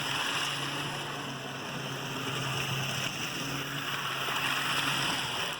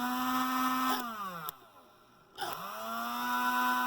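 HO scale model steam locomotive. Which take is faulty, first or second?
second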